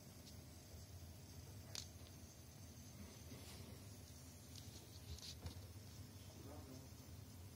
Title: Macbook pro 13 2018 coil whine